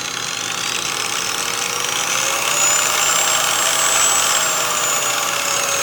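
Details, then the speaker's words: New VViViD REV 6-inch random orbital polisher/sander running with a quiet, airy electric whir and a faint thin whistle; slight bearing noise. "I must say that is impressively quiet for what it is you can hear some bearing noise you hear a little bit of bearing noise"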